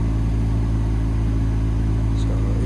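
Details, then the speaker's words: Car blower fan running with ignition on, engine off: deep steady tractor-like drone caused by a parking ticket lodged in the fan housing restricting airflow. "you can see a parking ticket in the fan housing so that's restricting the airflow and causing that uh deep droning no"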